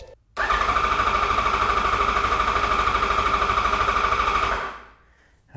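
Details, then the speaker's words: 2008 Yamaha FZ1 after oil/water pump and clutch replacement for an engine whine: cranking to prime the new oil pump after battery charging; fast, even starter cranking at about three compression beats a second without firing, strong crank. "that cranked over super strong."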